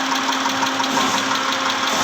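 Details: 2010 Mitsubishi Pajero, 6G74 V6, at idle: a light, regular tick about six times a second rides over a steady hum; engine knocking, cause not pinned down.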